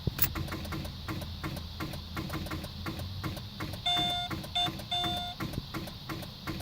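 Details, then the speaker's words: 2006 Chevy Malibu 2.2L, key turned with dash lights on: only a fast, even train of light clicks of about three a second with chimes, and no cranking. A bad starter is suspected but not confirmed. "a bad starter as you can tell the lights will come on but you see they have no check engine light no beam you can try to crank it that's what it does"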